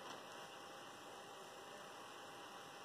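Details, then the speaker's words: Sony Vaio VPCL231FX all-in-one PC CPU fan after cleaning a previously grinding fan with isopropyl alcohol; quiet steady even whir with faint whistle, no scraping or grinding; running smoothly. "gutters look like we're in business no more grinding fan noise just a noisy bulb"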